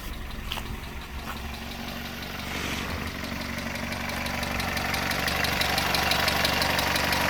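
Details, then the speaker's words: 1971 Datsun PL521 (1600) pickup, warm engine just started, at idle: a light, quick ticking of about three per second over the engine hum; the owner notes a little valve tap still to be fixed. "in here there's a little bit of a valve tap I do have to get onto that at some point"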